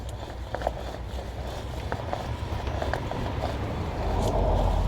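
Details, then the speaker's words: Honda Element being rocked by hand at the driver's side after the loose front sway bar link nut was tightened with an 11/16 wrench: the suspension clunk is gone, leaving only faint light ticks and outdoor rumble. "No more noise."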